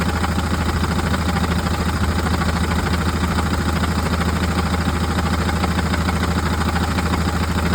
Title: Fiat Ducato 3.0 6speed Rattling noise from the gearbox, maybe the clutch?